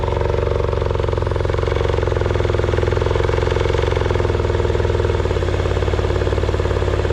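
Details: 1989 Yamaha 30 hp two-stroke outboard after exhaust gasket repair and throttle linkage reconnected: even buzz at a slightly high idle with regular firing, no misses or popping; running normally, exhaust no longer leaking from gaskets.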